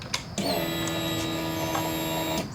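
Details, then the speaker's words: 2005 Honda CBR600RR no-start after a fuel pump replacement, microphone on the tank at ignition-on: a click, then a steady electric hum for about two seconds that stops cleanly; the fuel pump primes normally. "And yes, it primes. I'll do it again just to make sure. Okay, it primes."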